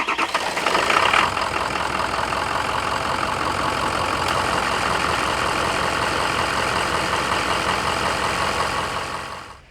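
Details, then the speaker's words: High-mileage Ford PowerStroke diesel, cold start after sitting six hours at about 75°F: loose uneven clacking tick three or four per second over diesel clatter; owner attributes it to internal engine friction. "you'll see the startup and you can kind of hear that ticking and that friction within the engine and what you're going to hear is it's kind of like a clacking sound"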